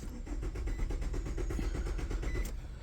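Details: 2002–2006 Nissan Altima during fuel pump replacement, 15 amp fuel pump fuse pulled to relieve fuel pressure: steady fast cranking, about three turns a second, with no catch; cranks but won't start because fuel is cut.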